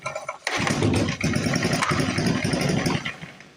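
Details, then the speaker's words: 1955 Briggs & Stratton Model 6 (Sears) engine, sat for decades with its muffler in the dirt: after a recoil pull it catches with a few seconds of rough popping, then dies; starter clutch is going bad and pulls feel hydrolocked. "oh that was as close as it's came to running right there starter clutches it's getting bad"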